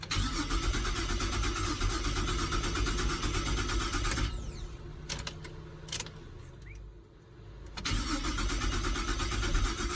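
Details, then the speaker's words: Holden Commodore VZ with earlier no-crank, original key and original modules refitted, battery reconnected: rapid even cranking builds into a steady running engine, brief dip then keeps running; cranks and starts. "our original key with the original modules is going to do wow that sounds like a bit of a start"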